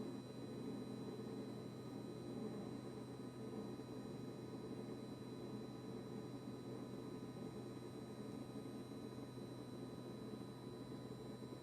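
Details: KitchenAid KRFC704FSS00 fridge after a service: a steady, unbroken low compressor buzz with a faint electrical hum and no cycling. The cause is suspected, not confirmed.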